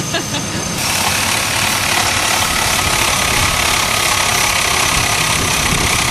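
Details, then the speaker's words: Bravada after replacing an alternator whose rear bearing failed, test start on a cold winter night with the engine recently run: steady, smooth, quiet idle with no whirring or grinding from the belt side. Normal idle. "so much quiet"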